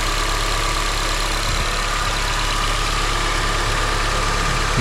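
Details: 2006 Honda CR-V idling on first start after replacing the VTEC valve and changing the oil. Steady, even idle with a smooth low beat and no knocks or ticks, plus a faint high whine from belt-driven accessories. Normal idle, no oil leaks seen.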